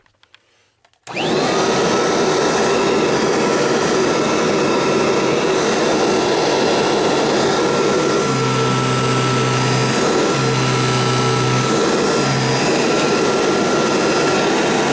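A steady, even motor roar with a constant high whistle and no surging or rattling; this vacuum is running as it should.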